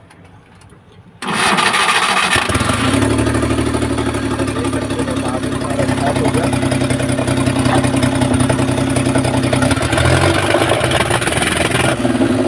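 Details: Omni MPFI van without immobilizer that cranked but wouldn't start: engine catches on first try and settles into a steady, even idle with no misses; now starts and runs fine.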